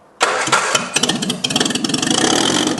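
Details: Whitby Morrison ice cream van, first start of newly fitted replacement engine: brief crank, fires straight away and settles into a quick, even idle with no misses; clean, healthy start.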